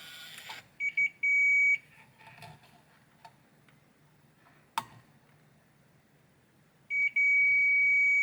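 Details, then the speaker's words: Hisense air conditioner control board with processor communication error, broken track rebuilt with flux near optoisolator: steady high beep in two clean stretches as meter probes touch; continuity restored. "Ok we have continuity at this point"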